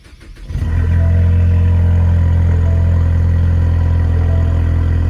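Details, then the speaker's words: Ford turbo engine starting after broken spark plug removal, owner feared porcelain fell into engine: catches quickly and settles into steady even idle, no stumble or miss; normal start and idle. "sound good [Music] I love that turbo whistle"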